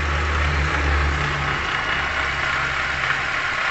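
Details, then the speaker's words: 2017 Toyota Grand New Avanza Type G, hot engine at idle: faint rough "krek krek" scraping crackle over engine hum, traced by stethoscope to worn water pump and alternator bearing. "ini kita simpulkan bahwasanya bunyi tersebut timbul dari water pump dan bearing alternator"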